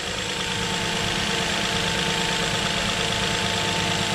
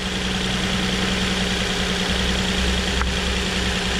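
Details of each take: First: 2007 Nissan Murano 3.5L V6 after replacing the cylinder 3 coil (rear bank under intake manifold) for a misfire: smooth, even idle with steady hum, no skips; all six cylinders firing, misfire cured. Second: 2007 Nissan Murano 3.5L V6 with a cylinder 3 misfire (rear bank, under the intake manifold): steady idle with a slight uneven lope that doesn't change when that coil is unplugged; faulty ignition coil, fixed by replacing it.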